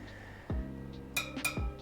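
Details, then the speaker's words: Tap-testing new spokes on a freshly laced wheel for a 2002 Yamaha YZ426F, before final tightening: four taps, each giving a short, dull, low-pitched ring rather than a crisp ping. Spoke tension still too low. "And then you can always test them by tap testing them and listening to sound, especially if you've got another bike that you have reference to how the pitch should sound. These are still a little low pitched."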